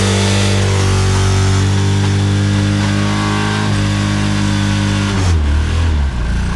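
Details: Subaru Legacy 2.5 with blown engine: heavy deep diesel-like clatter through the revs, dropping with engine speed; severe internal knock, cause not pinned down.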